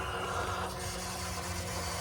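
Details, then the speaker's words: 2020+ Ford F-350 Power Stroke after swapping to an SPE Motorsports dual-filter fuel system, engine off: steady pump whir with a faint hiss of fuel flow over many primes as air purges from the new empty filters. "all right so this is my fourth time Prime minute it's still making noise so still a lot of fuel moving just hoping I don't get like another leak out of nowhere I mean sounds like the filters are filling up I guess"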